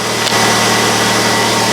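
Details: 1999 Pontiac Grand Am 2.4L LD9 Quad 4 after replacing a leaking fuel pressure regulator with a ruptured diaphragm, cold day: steady, even idle hum with no stumble, miss or hiss; runs healthy and no leaks seen.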